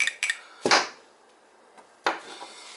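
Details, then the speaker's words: Symmons C5 shower valve spindle, previously stuck, freed after about a month soaking in white vinegar: sharp metallic clicks as it is turned by hand, moving freely as it should. "if it don't click like that, you're not going to get any hot water."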